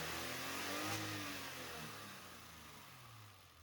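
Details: BMW E30, long running rich with black smoke, cold idle before warm-up: idle hunts and wavers instead of holding even beat; compression about 135–160, noise seemingly near dipstick tube; rough running from rich mixture.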